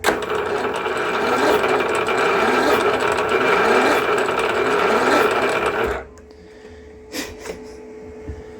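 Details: Cub Cadet mower during a motor swap: slow, labored chugging of about three beats a second for six seconds, then it stops; the engine cranks but never catches.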